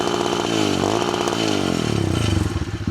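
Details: Amazon pit bike with a new motor, a quieter new exhaust muffler and an adjustable rev limiter at its highest setting used. Small single revs hard to a flat ceiling, then rapid stutters as the limiter cuts ignition: revving against the rev limiter.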